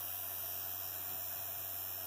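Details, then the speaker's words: Cooling fan on a 3D printer's print head making noise after an overnight print job, a steady whir with a faint rough buzz; cause found to be a fly caught in the fan blades. "oh it's a fly that got caught in that's amazing that's a bad day i'll fly in the fan"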